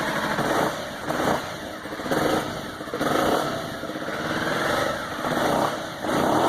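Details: 2009 Aprilia Shiver V-twin: revs rise and fall with an uneven, stumbling beat and ragged sputter instead of a crisp twin pulse; front cylinder misfire.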